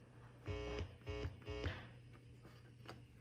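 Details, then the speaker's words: Fender Princeton Chorus amp after re-soldering circuit board fix: three guitar notes, then steady low hum droning through the amp; owner suspects the guitar cord or guitar, not the amp, causes the buzzing. "Well, as you can hear, the buzzing is from my cord or my guitar."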